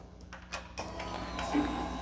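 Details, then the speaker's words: 2014 Yamaha FZ-09 after a flashed ECU install, airbox mod and Sprint filter, at key-on once the forgotten fuel pump connector was plugged in: a few clicks, then a soft steady electric whir; the fuel pump is priming normally. "Now I can hear the priming of the fuel pump. And I was looking for priming."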